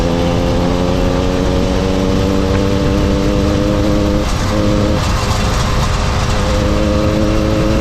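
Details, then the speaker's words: Mildly ported motorized bicycle two-stroke engine, stock carb and exhaust, riding; steady even buzz with brief dip and recovery, quiet, smooth, no misses or rattles; normal running. "See it, the motor runs well, it does good, it pulls nice, it's nothing crazy, it's quiet, smooth."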